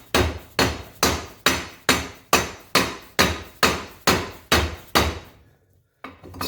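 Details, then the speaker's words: 1977 Baja jet boat, Berkeley 12JE jet pump (403 Olds): the wear ring is hammered in at about two blows a second, changing from dull thuds to a ringing metal-on-metal clank as the ring bottoms out and fully seats. "I don't know if you can hear that, but it sounds like where seat of the pitch has changed. You hear more of like a metallic metal on metal thumping rather than a dull thud."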